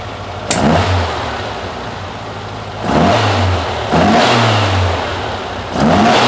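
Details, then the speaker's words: Porsche 912 air-cooled flat-four run after over 10 years of storage, once the cooling fan was repaired and adjusted. Slightly warm: revs blip cleanly and settle back each time, no knocks or rattles. Healthy, with the top oil leak fixed. "it's a runner uh sounds pretty good I got a little bit of warmth into it"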